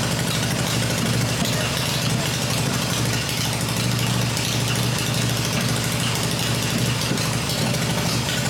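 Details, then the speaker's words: Freshly rebuilt black Harley Evo V-twin motor idling on an engine test stand with open exhaust: deep, even lumpy beat with no knocks or ticks; running the way it should. "well there she's running done and we're glad to hear it running here and that's the way it should be so I'm pretty pleased with that"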